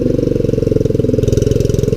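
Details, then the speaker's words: Kohler single-cylinder engine on a three-wheeled hauling trike, after a governor lever adjustment fixed the stuck throttle and a flooding carburettor was replaced with a Kohler K91 clone: even, fast, steady thumping with no misses or surging; running smoothly. "But I think with this Kohler, for the next 100 years, you can come outside and hit the key, start it up, and ride it around."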